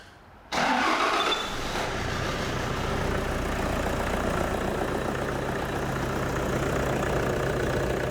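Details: 2006 Toyota Hilux 2.5 litre D4D diesel, crank no start with no codes, fed through a temporary bypass fuel supply with no return line: it cranks briefly, fires at once and settles into an even diesel clatter; the engine is fine and the fuel supply is suspected.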